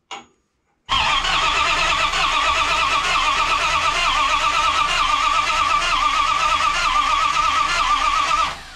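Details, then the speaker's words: '51 Dodge dually, turbo 5.9 Magnum on Holley Terminator X, fuel pressure raised to 48 psi, still crank-no-start; a 180-degree-out distributor was suspected, then flipped. Steady starter churning for several seconds without any firing: the Dual Sync distributor was 180 degrees out. "right so we just flipped the distributor 180 degrees it has to do something different"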